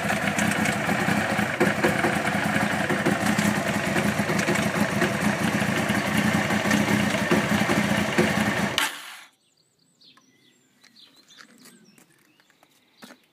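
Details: 1992 Honda CBR900 motorcycle at steady idle before shutdown: busy uneven clatter; owner suspects timing chain or cam chain tensioner, or something else, cause unconfirmed.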